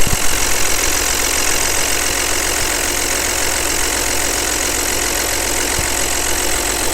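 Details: Audi allroad: loud idle with a fast, uneven clatter about four times a second over a heavy hiss; excessive engine noise, cause not evident.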